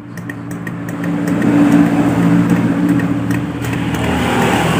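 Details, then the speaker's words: Yamaha Jupiter Z1 motorcycle, starter button pressed: rapid light "tek tek" clicking, about four a second, from the starter bendix area with no cranking; starter motor fault suspected, not confirmed. "jadi saat kita tekan di bagian tombol-tombol starter ya teman-teman Hai Ipung ada suara di bagian bendik Hai suaranya bisa didengarkan oleh teman-teman semua saat kita tekan seperti ini ada suara tek tek tek tek tek tek"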